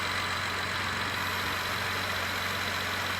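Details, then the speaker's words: 2012 Acura TL 3.5 V6 idling after alternator replacement: steady, even idle with no whine, battery light off and about 14 volts; before, the whine and battery light pointed to a failed alternator. "okay notice the battery lights off let's go back to the battery on DC voltage [Applause] don't hear the whining no more"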